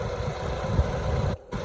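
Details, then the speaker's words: 2005 Mitsubishi Lancer 4G94 after transmission reinstall, idling while waiting for thermostat to open: steady low even idle pulse, no scraping or knocking; running good. "And there she is, running. No loud scraping noise or anything like that. Running pretty good."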